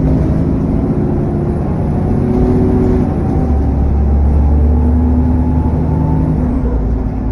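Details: SN61 DDE E210 on a dead run back to MB: heavy rushing fan roar over the diesel drone with a thin high whistle rising and falling with throttle, cooling fan thrash and turbo whine.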